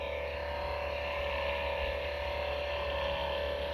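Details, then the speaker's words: Acer Predator Helios 300 laptop at idle, CPU and GPU fans at lowest speed about 2200–2300 rpm: steady whirring hum with a thin constant tone; dry GPU fan bearing, fixed with white lithium grease. "the only problem with this one is the fan it's freaking annoying especially when you work at night i'm not even doing anything nothing is open and it has 2200 rpm for the cpu and 2200 for the gpu almost 2300 the lowest uh fan speed"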